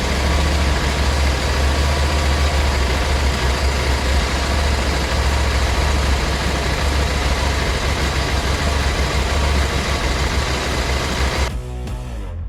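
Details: 2021 KTM 790 Adventure S twin with hard-starting problem (6 to 8 tries) after installing a Booster Plug: steady, even low burble holding a settled idle over ten seconds, no misses or hunting; healthy.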